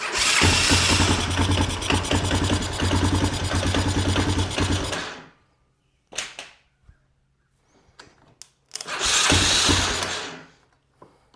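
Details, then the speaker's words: 1998 Honda Recon 250 ATV single-cylinder after top-end rebuild (new piston, rings, valves, seals), on choke while warming; quick even knocking rattle on every beat at idle, then stalls, worsening and worse under load; source unknown. "The motor is starting to sound worse when idling. It's gotten worse over the last little bit."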